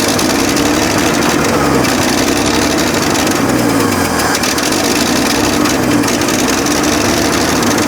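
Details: 1965 Chevrolet C10 pickup with 292 inline-six and 3-speed manual, abandoned for years, first start on a makeshift gas tank after a quick carb clean: fast, sharp puffing tick over a busy idle, in time with the engine; exhaust leak at the exhaust manifold.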